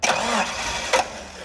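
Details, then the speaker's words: Caterpillar forklift with basic EMCO system, hard start: starter cranks briefly, engine nearly catches but won't fire; brake-clean test during cranking points to a vacuum leak, not yet pinpointed. "then once they're running keeps on running so this one we're dealing with a vacuum leak"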